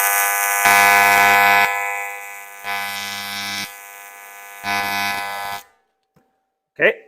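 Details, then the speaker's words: YesWelder CT2050 AC TIG on 3/16 material, max set to 200 A with foot pedal control, first weld after purging gas: harsh arc buzz rising and falling about once a second. Pulse mode had been left on unintentionally; turned off afterward. "it's set on pulse I'm gonna have to figure out how to turn it off pulse okay okay pulse shouldn't be on"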